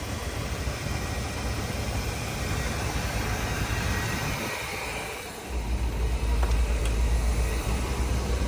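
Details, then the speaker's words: 1978 Chevrolet Corvette V8, last on road 2012, test start after new battery: steady low idle with even firing, no tapping or piston knock; oil pressure 35–40 psi, some blue smoke from oil burn-off, runs healthy. "So far it sounds good. I don't hear any tapping metal engine parts inside, any kind of piston issue or something like that. It actually sounds pretty good overall"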